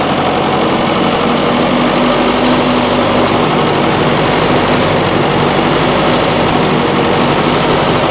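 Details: John Deere 450C diesel track loader recovered from the woods: steady diesel clatter holding an even idle under heavy background hiss, with no stumbling or dying; normal idle.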